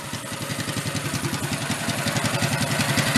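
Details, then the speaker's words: 1965 Chevy Monza go-kart with a newly fitted larger lawn mower engine, first run. The small single revs up crisply and evenly, pulses climbing smoothly with throttle, with no misses or rattles; healthy revving. "definitely like to have a little bit of gust on it R up sounds good I like"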